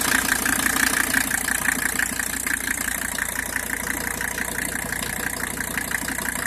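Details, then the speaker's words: 1985 Mercedes-Benz 300D Turbo diesel engine, 312,000 on the odometer (owner suspects not the original engine), started on the first try, even clatter at steady idle with no misses; normal, very smooth idle. "I don't think that this is the original motor because it's it's it seems to be way too smooth"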